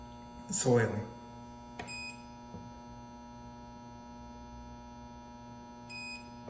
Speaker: then when you hear that three beeps let's see how it started over with the f9 e1 that means you're all done